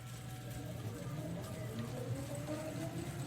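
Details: 5k CNC router stepper motors on X, Y and B axes after driver dip switches raised from 400 to 2,000 steps per revolution (probably only about 20% torque left): soft clean tones gliding up and down in pitch, no rough buzzing; smooth motion.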